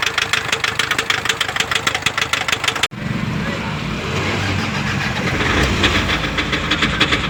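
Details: Toyota Fortuner diesel engine knocking at idle: sharp, regular knock of about three beats a second over the diesel clatter; diagnosed and fixed.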